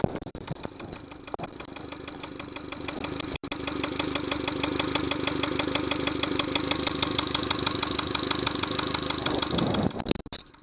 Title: knocking sound Yamaha 70 hp - Honda fuel connect was used instead of Yamaha connector - silly me)